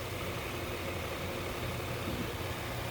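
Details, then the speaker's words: 2012 Nissan Murano with a blown head gasket that had overheated, idling after a K-Seal treatment and coolant refill: steady, even idle with a smooth low rumble and no knocks, ticks or misses; engine sounds quiet and healthy. "so the engine sounds quiet okay I'm going to let it run 3 more minutes"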